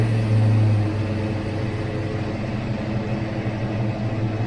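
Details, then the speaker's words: Ford Foxbody manual transmission, after replacing worn shift fork pads to cure popping out of gear: steady low drivetrain hum in second gear with no clunks or pop-outs; the gearbox stays engaged. "oh good alright that's it she's shifted in the second gear that was way better than it was went riding gear stayed in gear so we're good guys"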